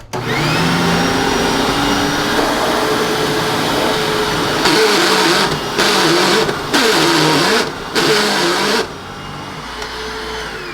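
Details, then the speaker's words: Hoover WindTunnel self-propelled upright vacuum after service: motor whines steadily, then with self-propel switched on the drive gearbox breaks into loud, harsh, warbling grinding bursts; transmission to be removed. "let's see what's going on with that gearbox you know i really dislike when self-propelled vacuums act up because they do things like this"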